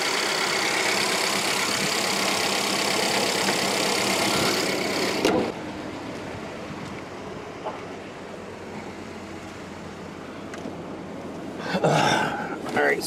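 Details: Ex-police auction Ford Explorer Interceptor or Charger inspected at idle with heater fan on: warm idle runs smooth and even with no knocks, ticks or squeals, then settles quieter; healthy-sounding engine.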